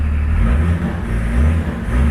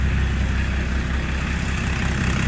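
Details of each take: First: Range Rover P38 diesel after fuel injection pump timing adjustment (now 4.5–4.8, spec 4–5), following a no-power/won't-pull fault and gearbox fluid changes: deep, steady rumble revving cleanly and quickly with no hesitation; normal revving, throttle response now brilliant. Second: Range Rover P38 diesel lacking power, with injection pump being adjusted (injector quantity 29, said to be about 5): chugs slow and heavy at about 600 rpm idle instead of about 750 due to pump timing.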